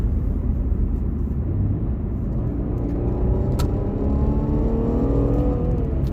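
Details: Infiniti Q60 after a solid transmission mount install, accelerating through about 40–50 mph: a thin tone climbs steadily in pitch under road rumble, a drivetrain whine; cause not confirmed.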